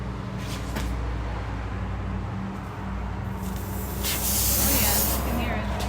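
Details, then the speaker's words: Tire punctured by a screw, as the screw is removed before plugging: over a low idling rumble, a sharp rush of hissing air bursts out for about a second, confirming the leak. "if you hear air coming out you know that it's a leak"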